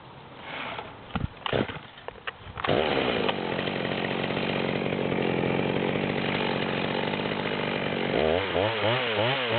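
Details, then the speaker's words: Stock rear-handle Stihl MS200 with a 25-inch bar, near-new, high-speed screw backed out to the stop: revs up, then settles into a strained, wavering drone in a large log; struggling to keep chain speed with that much bar. "I'm letting the weight of the saw try to feed itself essentially I'm we've seen that it was pretty much struggling hard to pull that much bar"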